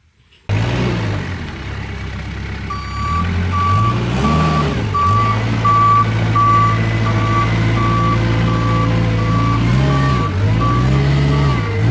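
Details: Kubota 520 hydrostatic wheel loader that won't reverse up a steep hill: reverse alarm beeps as the diesel labours and surges pushing backward into a pile, barely moving. Forward climbs with wheels spinning; reverse may be hitting relief.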